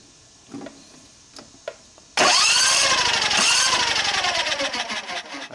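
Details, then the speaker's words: Simplicity 72-inch zero-turn mower, 27 HP two-cylinder air-cooled Briggs & Stratton commercial, under 130 hours, oil at low mark, quit while mowing. Starter whirs fast and smooth, no compression chugs, winds down; free cranking, no compression; owner suspects sheared flywheel key, thrown rod or broken cam. "the flywheel is spinning right the starters turning the flywheel and it's just spinning free"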